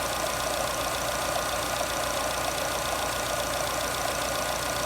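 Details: Jeep Renegade 1.8 E.torQ with a complaint of misfire at idle and hard starting, with the purge (canister) valve suspected: warm idle runs smooth and even with a steady mid-pitched hum and no surging or hunting, so the engine idles normally.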